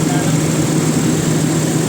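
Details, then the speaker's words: Toyota Revo gasoline engine that wouldn't start after distributor oil seal replacement, after re-timing the distributor: steady, even idle at about 1,000 rpm with a smooth low hum, no misses or knocks; normal idle. "Ayan may power na hindi yung ano Menor na lang Menor Sakto lang pala 1,000 eh pala sir"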